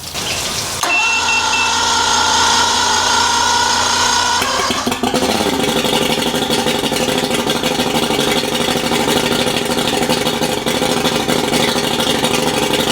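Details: Replacement outboard motor on a boat, test run after the old motor failed with a damaged piston; cranks, catches and settles into a steady, even run with no knocks or misses; sounds healthy.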